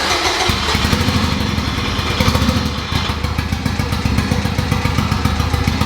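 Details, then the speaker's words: Boosted K20 swap after setting the TPS, tune checked: loud idle with choppy, uneven beat and irregular thumps; air-fuel reading way too lean, lean rough idle. "now air fuel is way too lean running lena it's running weird now"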